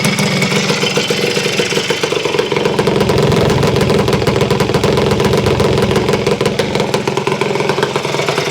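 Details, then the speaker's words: Honda CR250M Elsinore two-stroke motocross bike, first run in many years after kickstarter repair, cold brisk morning; crisp busy two-stroke crackle with steady firing, no loose rattle or ringing; normal running. "The engine doesn't sound terrible loose. You know, it just you know, it's not ringing bad that I can tell."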